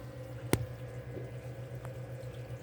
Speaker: See, my secondary drain is burping air. Why is it burping air?